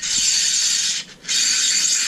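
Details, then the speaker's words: AccelaVelo Mag-X bike trainer, new and malfunctioning out of the box: two hissy, gritty whirring spells about a second each, dropping out between spins, rougher and noisier than it should be; cause not confirmed. "this is gonna be a noisy one might need to do some modification to find a way to quiet that down as possible"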